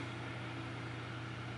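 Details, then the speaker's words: Both GTX 970 graphics card fans freed from a stall, now slowed with the card down from over 90°C to 53–54°C: quiet, smooth whir with steady low hum, no scraping or ticking; spinning freely. "now they slowed down but it's both spinning so what's the temperature 54 degrees now 53."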